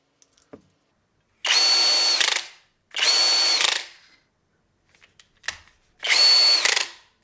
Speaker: But what I found was the resulting weight caused rotational inertia, which prevented the electronic brake working correctly, which you can hear now.